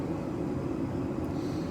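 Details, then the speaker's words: Sunfire heater running just after startup: steady, even burner roar with low rumble, no sputtering or surging; startup puff of black smoke said to be normal; running normally. "I hear the igniter going. The fan goes, and it should fire."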